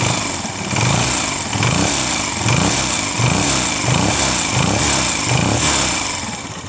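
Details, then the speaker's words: 2022 Honda CG125 after the fix, magnet case still off, silencer blocked: repeated throttle blips rise and fall smoothly with no tapping or knocking; engine now silent of the noise. "माशाल्ला बिल्कुल ही बिल्कुल ही बे आवाज बिल्कुल ही soundless हो गया"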